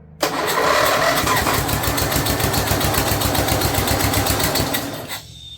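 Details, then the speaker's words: Snapper rear-engine rider, Briggs 12 HP I/C single, abandoned for years, brand-new carburetor, idle screw just raised: catches and runs ragged about four beats a second, struggling as if rich; pushing a lot of fuel out, cause unknown, choke found open. "Okay. Okay. little more throttle. Just pushing a lot of fuel out there. I wonder why."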